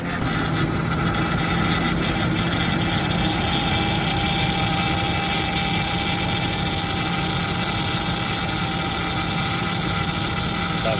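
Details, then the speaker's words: Ford F-150 Triton 5.4 FX4 V8 at idle: faint constant power steering whine; owner suspects low steering fluid; after topping up fluid the noise disappeared and the truck ran silent. "Tá com barulho na direção, acho que o fluido tá abaixo."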